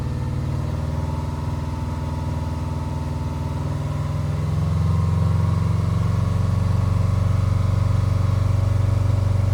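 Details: 2009 Subaru Forester X, naturally aspirated EJ253 flat-four, starting after an in-car valve clearance adjustment: it catches and settles into a steady, even idle with a smooth low drone, no ticking or misfire. A normal idle.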